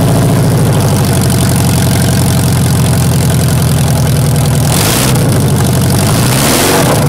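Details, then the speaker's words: Toyota Tarago/Previa/Estima TCR11 van started with no exhaust fitted during catalytic converter replacement, camera at exhaust: loud, raw, deep throbbing idle with rapid pulses and a brief rev blip; open exhaust. "But anyway, I wouldn't consider this video complete if I didn't start the van with no exhaust to hear what it sounds like."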